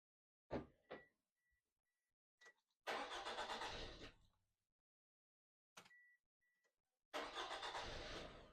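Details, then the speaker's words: Toyota Isis just after fitting a new ACDelco 55B24R battery, replacing a 70B, with no memory backup: engine catches, runs about a second and stalls, then starts on the second try; idle learning lost, engine later stalling near 500 rpm. "それでね、ここでエンジンかけてみるんですけれども、一発目エンストしちゃうんですよね。"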